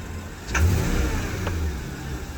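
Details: Porsche Cayenne S V8 running and being revved: low steady drone that swells with revs, with an odd extra note riding on it; source not pinned down.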